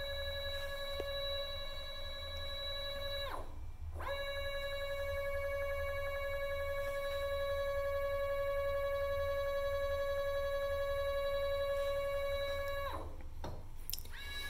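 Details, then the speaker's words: NEMA 24 5 A stepper on a Stepperonline CL57Y closed-loop driver with Centroid Acorn, set aside to sound as if bolted to a machine: clean steady whine near 600 Hz with a short pause; normal running. "I'll just set it over here just so that's kind of what it would probably sound like if it was bolted to a machine"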